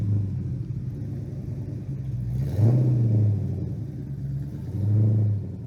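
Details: 1990 Fox Mustang 5.0 V8 started after the snapped stainless exhaust piece was re-welded: deep, steady rumble that swells cleanly on two quick throttle blips and settles back evenly, with no exhaust-leak tick. Healthy.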